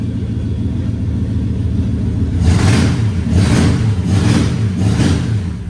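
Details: Nissan S14 with 1UZ V8 swap, first start after cranking trouble and throttle tweaks: deep rumble with four uneven rev surges, not settling to steady idle; rough running, owner suspects throttle body issues, unconfirmed.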